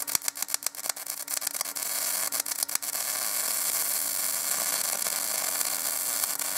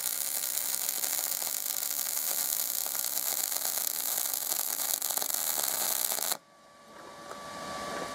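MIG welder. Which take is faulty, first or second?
first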